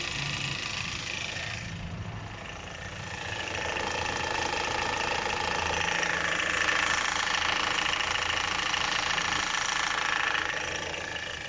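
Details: 2010 Chevrolet Captiva 2.4 L at idle, phone held at the front of the engine: steady metallic chattering rattle rising and falling slightly; persists with the accessory belt removed, so internal, suspected loose timing-chain parts.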